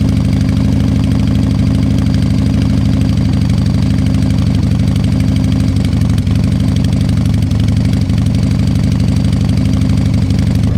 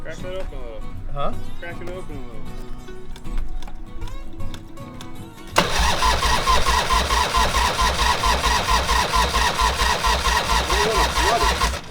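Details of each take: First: Harley-Davidson Fat Boy Evo 1340 V-twin after winter storage, carburetor cleaned, started on jumper cables after long cranks and suspected flooding: deep, loping potato-potato beat at a low, even idle; normal idle. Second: Harley-Davidson Fat Boy Evo 1340 V-twin after winter storage, carburetor cleaned, cranked on jumper cables: about six seconds of steady starter churning, never fires; suspected flooded.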